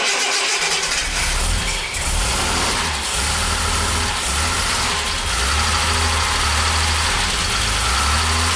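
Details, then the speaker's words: 1975 Jaguar XJ6 inline-six, first start after reassembly with the head back from the machine shop, on half choke: smooth, even idle with no knocking or tapping, about 40 psi oil pressure, quieter than before; the earlier tappety noise was traced to one wrong tappet. "see i think it's running really really nicely it's got about 40 pounds of oil pressure and it's a lot quieter than before"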